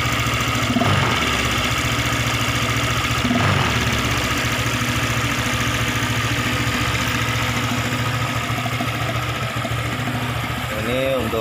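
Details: Honda PCX 150 scooter at idle during a tune-up and valve adjustment, with the air filter off and the CVT not yet cleaned; the owner's complaint was an unstable idle. Steady single-cylinder thump about 3.5 times a second, no ticking or stumbling; the idle sounds smooth and healthy.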